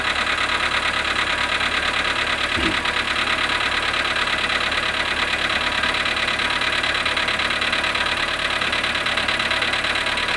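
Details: VW Polo sedan, cold start at −7.5 °C after sitting 12 hours. Steady cold idle with a sharp, fairly regular tapping over the engine hum. Engine knock at cold idle.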